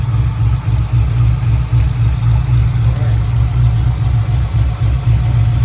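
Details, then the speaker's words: 6.0L V8 swapped into an FD RX7 idling rough: a deep, lumpy beat with periodic stumbles about four a second, one cylinder dropping out. One or two cylinders suspected misfiring. Coil-unplug balance test found one dead cylinder; header temperatures checked next. "but I suspect that it's one or two cylinders misfiring"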